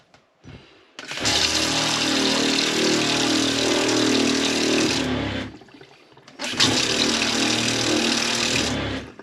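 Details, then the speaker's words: Franklin CX22 caravan water pump after repair of constant pulsing (possible diaphragm hole) and bleeding of the water system: high, steady buzzing whir that cuts in, stops, and restarts evenly. It now runs normally, with some extra vibration from unsecured pipework. "okay so the pump's all back together i've bled the water system and she's working fine now"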